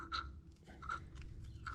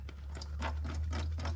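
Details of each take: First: Bobcat skid steer, Kubota V2203 diesel, won't restart after 10-minute shutdown: worn fuel lift pump removed and hand-primed barely squirts fuel, then irregular gurgling as air is sucked in; diaphragm not holding pressure, fuel draining back; pump replaced. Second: Bobcat skid steer with a Kubota V2203 diesel that had a crank-no-start after sitting 10+ minutes. The new replacement fuel lift pump, after priming, gives quick even ticking over a low hum with no gurgling, hissing or air sucking. Normal operation.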